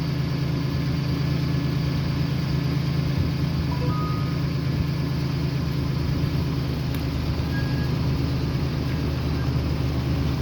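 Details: 2009 Jeep Wrangler after PCM repair (damaged transistors for coils 3 and 6 replaced): steady, even low drone with no stumbles or skips; normal idle, misfire fixed.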